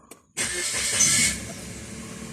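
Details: 2014 Suzuki Alto after an all-keys-lost job, started with a newly cut and programmed transponder key: a short crank, then it catches cleanly and settles into a steady idle. It starts normally.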